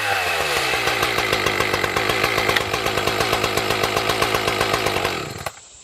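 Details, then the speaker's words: Echo CS 590 (Timberwolf) chainsaw after fitting new carburetor, no tuning needed: strong even two-stroke buzz, steady firing, no misses; fixed, runs cleanly until shut off. "That was easy. Well, that was a really easy fix, to be honest. Just threw the new carburetor on. It didn't need tuning or nothing."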